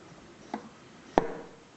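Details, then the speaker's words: Jaguar E-Type SU HD8 carburettor, jet correctly centred with diaphragm marked in position: light tap then single sharp metallic clunk as lifted piston drops freely onto its bridge; no clunk means jet uncentred. "you should be able to lift the plunger and get a nice clunk"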